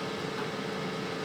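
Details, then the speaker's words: Oupes 1800 power station cooling fans during DC discharge test from 100%, just under 10 A at 11.7 V, kicked on surprisingly quickly: steady even airy hiss with faint hum, no rattle, about 52 dB; normal, not intrusive. "a nice, quiet, white noise sound. So not terribly intrusive. I'm just a little bit surprised that it kicked on quite so quickly."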